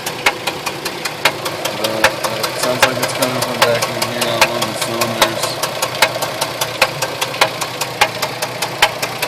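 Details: 2004 Jeep Liberty automatic 4x4 at idle: sharp metallic ticks at a fast, steady beat, louder than the running noise; engine knocking of unknown cause.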